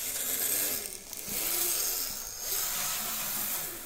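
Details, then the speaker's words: Lima Class 55 Deltic model locomotive on DC, before cleaning, jerking on the track. A thin buzzy motor whir drops out briefly then recovers; intermittent stutter, with a pickup issue suspected. "Yeah, okay, so I think we've got a bit of a pickup issue. It sounds like all the others."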